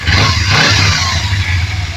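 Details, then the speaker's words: Kawasaki Z250FI (Ninja 250 engine) just after manual TPS adjustment; quick clean throttle blip climbing and settling without hesitation or jerk; normal revving. "akan terasa sekali kalau digas ya ya sama sekali tidak ada apa namanya tidak ada ganjelan ya atau hentakan"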